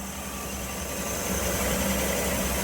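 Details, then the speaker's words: 1960 Chevy Biscayne 235 six, rebuilt after a mislabeled rod cap caused number one rod knock and low oil pressure, idling at a stop on a 100-mile test drive: smooth, even hum, no knocking, tappets now quiet, wearing in well, no leaks. "She seems real smooth, no leaks. Can't even hear the tappets anymore. She's wearing in good."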